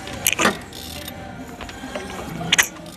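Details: Mercedes-Benz M271 engine, slow to start with chain noise, cranked slowly by hand: two sharp metallic clacks a couple of seconds apart as worn camshaft adjuster gears snap through their play, spitting oil.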